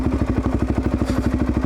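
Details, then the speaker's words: Suzuki DR-Z400 single-cylinder trail bike riding at steady cruise after replacing a leaking carburetor top gasket with a genuine part: even thump, about fourteen clean pulses a second, no stumble or popping; running well though plug read very rich at idle. "we got that carburetor sounds like it's pretty much straightened out now she's out on pretty good"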